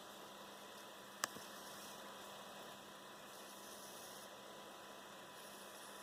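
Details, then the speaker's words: Dell XPS 13 9360 (Core i7, QHD+ touchscreen): faint, steady metallic coil whine from near the processor, at the back right of the keyboard. It is intermittent and worse as the laptop heats up or the fan is blocked. "so basically it's just really annoying metallic noise it resonates from inside the X XPS 13 um it kind of comes from in the where the processor area is"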